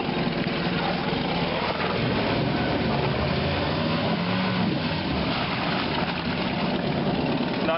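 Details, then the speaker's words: Honda BF75 four-stroke short-shaft outboard started on the first pull and run in gear at full throttle. A smooth, even, quiet drone with no knocks or misses; excellent condition. "here it is running absolutely excellent condition great for little fishing boat troll all day good efficiency"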